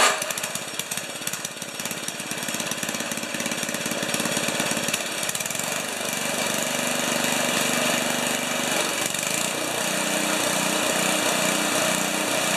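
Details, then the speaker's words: 1973 Tecumseh-powered snow blower on a lift, choke on, mid-range throttle, augers always engaged: small single-cylinder puttering steadily with even firing and faint mechanical rattle; normal running. "put some choke on it start it up should be all right we're on the lift we're the the auger's turn as soon as the engine runs"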